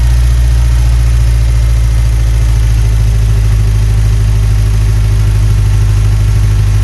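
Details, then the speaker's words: 1991 Ford Ranger 2.3-litre with manual transmission, started after the engine was reassembled: a deep, raw, booming drone at a steady idle with no damping. The exhaust is open with no muffler fitted. "it's loud there's no Muffet on it so it's real loud so I'm going and crank it up we're going to see what it sounds like"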